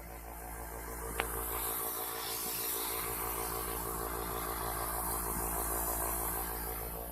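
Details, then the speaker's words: Small airbrush compressor running with a quiet, steady hum and even low buzz, no knocks or rattles; owner plans to oil it; normal running. "you'll be amazed at how quiet this thing that's it running right there notice how quiet it is"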